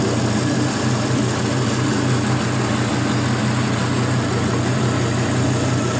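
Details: 5.3L Gen 3 LM7 LS V8 truck engine, 140k miles, running on a test stand: a smooth, even low rumble at a steady slow idle with no knocks, ticks or misses and no exhaust smoke; normal idle.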